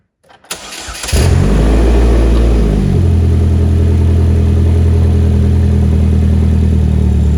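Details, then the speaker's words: 2008–2012 Chevy Malibu 2.4L Ecotec, first start after reinstalling the engine with timing redone (bent valves). Short crank, then a loud, steady, even idle with no misses. Loud because no exhaust is fitted beyond the manifold and catalytic converter. Normal start and idle. "and there we go sounds like it's running on all cylinders uh it's not missing any timing or anything like that it's just loud because we don't have the exhaust on"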